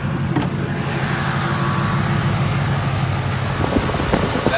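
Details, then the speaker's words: 2018 Mustang engine at idle after a drag strip run: light, fast ticking over a steady idle with no heavier knock; normal direct-injection ticking, not the known 2018 engine ticking issue. "normal direct injection, but thankfully don't have it."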